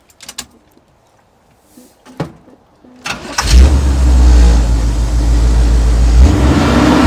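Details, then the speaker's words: 1983 Chevy C10 after power steering pump and pulley replacement with belt retightened: a few cranking clicks, then fires and revs strongly and smoothly with no squeak or chirp; the earlier squeak is fixed. "alright man we can do a startup we're gonna Rev on to see if we still get that old squeaky noise"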